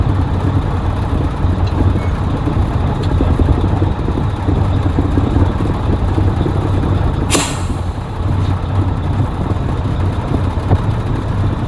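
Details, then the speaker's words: 1983 Mack R600 300 HP diesel after replacing the throttle spring to cure low-speed surging when empty: deep steady rumble holding speed with no hunting, one sharp air hiss; fix appears to work. "But so far so good. I think that actually did take care of the problem."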